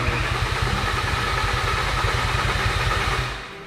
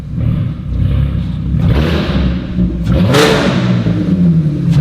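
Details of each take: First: VW Caddy van after swap to a much bigger engine, first start with a completely dry fuel system: starter churns steadily for several seconds but never fires; wiring fixed at ECU, no fuel getting through yet. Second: Engine-swapped VW Caddy van with no rear exhaust section: very loud, raw, deep bark at idle like a dragster, swelling hard on blips.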